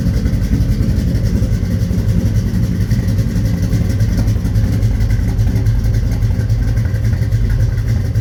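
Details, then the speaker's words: 1983 Chevy C10 stepside with 383 stroker V8, cold start: steady even low rumble, no misses, knocks or ticks; healthy idle. "okay let's do a cold start on this 1983 Chevy C10 with a 383 stroker in it"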